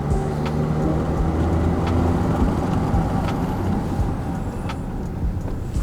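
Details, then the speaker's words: SsangYong Musso ute after new brake pads and rotors front and rear (the rear was noisy before when reversing or slowing): rolling to a stop, there is no squeal or grinding. Braking is quiet. "Very good. Nice and quiet."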